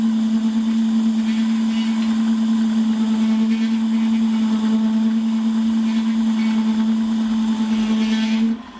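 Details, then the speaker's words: Holzmann ED400FD lathe turning a long bar to 24.85 mm diameter, with a half-millimetre depth of cut and no tailstock center. Loud, steady ringing hum near 210 Hz with light rattling. Chatter from the long unsupported overhang; a center would reduce it. "so was kommt jetzt natürlich ein bisschen dass auch relativ weit ausgespannt man könnte jetzt natürlich eine spitze gegen setzten dagegen zurück aber das lassen wir in dem fall jetzt erstmal sein"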